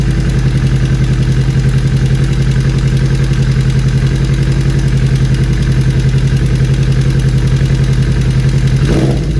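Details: 2013 Kawasaki Ninja 250 FI (EX250-L) parallel twin, 40,000+ km, idling after fixing weak cam chain tensioner: steady deep even beat with only faint light clatter.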